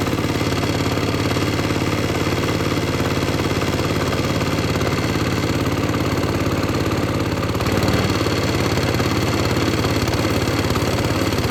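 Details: Lifan 7hp/GX200-clone engine on a Frontier OS18 sawmill, after head gasket repair for zero compression, choke on, idle adjusted via throttle cable: steady, even single-cylinder putter at about three beats a second, no knocks or misses; healthy idle.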